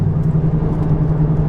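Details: Audi S3 cruising at speed on the motorway: steady low droning hum over road noise coming from the back; likely wheel bearing or rear differential suspected.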